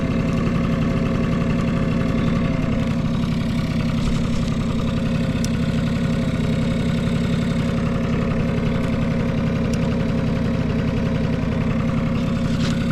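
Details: Vintage Honda Squash AB11 scooter, 12V electric start: steady even idle with soft regular putter, no knocks or rattles; quiet, healthy engine.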